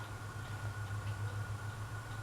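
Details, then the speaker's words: Dayton Leading Edge industrial ceiling fan switched to low speed: a steady low electrical hum with a slight throb and a faint thin whine, but no real spin-up; the motor fails to run on low. The owner suspects the motor may need oiling. "But low speed does not work. Because I think it's a motor. Like maybe it's just like, needs to be oiled a little bit or something."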